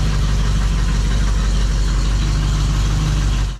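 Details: 1972 Dodge Challenger just fitted with a rebuilt automatic transmission and new torque converter: a loud, steady low idle with an even pulse and no knock or stumble. Smooth idle, though a knock was noted when first starting.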